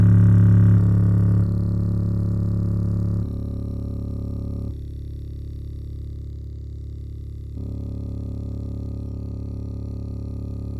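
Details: JBL portable speaker playing deep bass in low-frequency mode: regular clicking, about four a second. It starts after roughly a minute and grows very loud; sounds normal at regular volume. Owner unsure if broken or breaking in.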